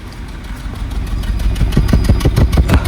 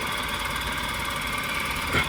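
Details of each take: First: Maruti Suzuki petrol car idling, heard at the tailpipe: uneven chuffing puffs about three a second with a fuel smell, a misfire caused by a faulty ignition coil found by pulling plugs one at a time. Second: Maruti engine at idle after a faulty middle ignition coil was replaced, a coil swap having shown it was the fault: smooth, even idle hum; earlier shaking and chuffing exhaust are gone, misfire fixed.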